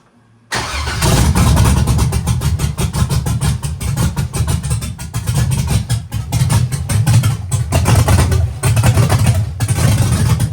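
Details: Old Chevy truck with big cam, revived after years abandoned, first start after new tune adding startup timing: engine fires and settles into a loud, choppy, loping idle with deep uneven pulses; normal running.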